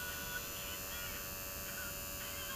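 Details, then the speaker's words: Zenith 4-B-231 radio synchronous vibrator during intermittent-fault troubleshooting: steady, even electrical buzz with high whine as B+ voltage jumps up; vibrator switching and running normally. "okay so humming away you can hear it you can see the B+ voltage jumps up and it should be higher"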